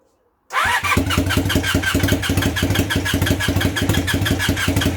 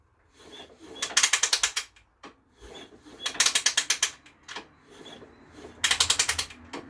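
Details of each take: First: Temporary twin-cylinder motorcycle engine in a project bike, start attempt on a weak, poorly charged battery: slow labouring cranking about three pulses a second with popping as cylinders try to catch, but not running; nearly starting. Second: Project motorcycle with a temporary engine freshly fitted in the frame, spark plugs out, ignition off, oiled, slowly turned over on the kickstart: quick even ratchet clicks, sensible resistance, no bangs or clunks; kickstart mechanism working normally.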